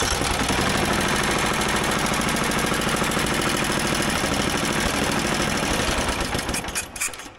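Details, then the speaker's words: Old motorized dumper, single cylinder, after fitting the bottom half of a parts carburetor with a better needle. It thumps steadily at about three beats a second, then falters and dies after six seconds; starts then stalls before it later runs longer. "why do you keep dying give her again"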